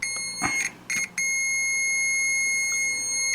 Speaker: Oh, what's this? Oh. Okay, I can hear it beeping.